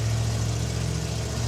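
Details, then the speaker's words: 1974 Mazda RPU mini-truck with mid-mounted 5.3L LS4 V8, carburetted, freshly rewired: fires after two pumps and holds a steady, even low rumble with no knocks, ticks or stumbles; normal healthy idle. "two pumps ah fires right up oh this is going to be great runs"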